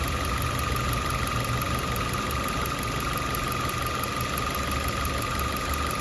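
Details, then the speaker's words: 2021 Maruti Ignis petrol, about 20,000 km, idling with the bonnet open before repair: a steady high-pitched, non-pulsing whine over the idle. The cause was the water pump, located by stethoscope and fixed by replacing the pump. "Bonnet തുറന്നു കഴിഞ്ഞിട്ടുണ്ടെങ്കിൽ നല്ലപോലെ sound വരുന്നുണ്ട് കേട്ടോ ശ്രദ്ധിച്ചു നിന്ന് കഴിഞ്ഞിട്ടുണ്ടെങ്കിൽ"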